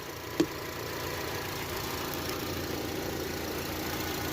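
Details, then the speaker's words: 2007 Honda CR-V that stalled after about three minutes, after repair, scan tool showing no misfires: steady, even idle with no stumble, dips or knocking; holds speed smoothly, healthy idle. "it doesn't stall out anymore just like how it's idling here it'll idle forever"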